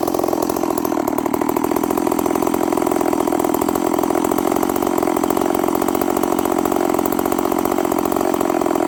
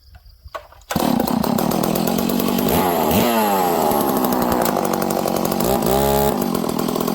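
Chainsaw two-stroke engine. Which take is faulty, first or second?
first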